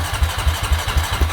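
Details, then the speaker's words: 2005 or 2008 Honda Rancher 350 ATV with a cheap aftermarket carburetor, hard to start but fine once running: steady starter cranking, about four heavy pulses a second, engine never catches; owner suspects the carburetor and is replacing it. "it became hard to start once you get it running it was fine but it's really difficult to get it started so this is what it does"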